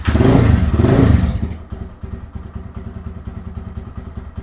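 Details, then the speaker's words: Lifan KPM 200 motorcycle with throttle position sensor misadjusted to 1.6%: a short rev drops into a low, lumpy idle at about four beats a second with hesitation, likely to die on quick throttle. "see it sounds like it's iding low and it's got a little bit of hesitation in it if I roll on it really quick it'll probably die"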